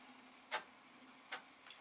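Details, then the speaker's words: Amiga 500 after the Commodore bulletin drop to reseat chips, turned off and back on, going from 1.2 to 1.3: a few soft irregular head-stepping clicks, the floppy drive reading normally. "that's 1.2 and goes to 1.3 this it's reading well hallelujah"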